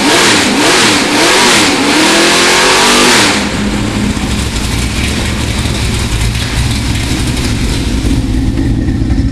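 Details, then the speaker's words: Freshly built cammed 350 V8 for a 1978 Corvette with long-tube headers, 2.5-inch pipes and two-chamber Flowmasters, warm at about 175°F, revved: sharp rising revs settling into a loping, choppy idle; strong, healthy. "up and listen to the amount of Cam in that motor tremendous all right Dennis we got long tube headers on here 2 and 1/2 in h the medium pipe for flow Masters two chamber flow master that's what you're looking this is the sound you're like you're looking to get something similar to this that's what you're going to have"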